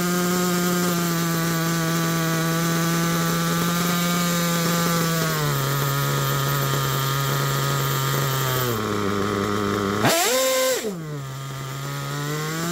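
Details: Tired Picco P3T DLC nitro engine with about 10 gallons through it, new bearings and conrod, crank wear, and sleeve and block damage; the rear bearing may fail soon. A high buzz drops in steps, blips, then settles to a wavering, unstable idle.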